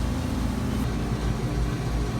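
Even low hum from compressor and fan with no rattles, squeals or cycling; the condenser sounds healthy and settled.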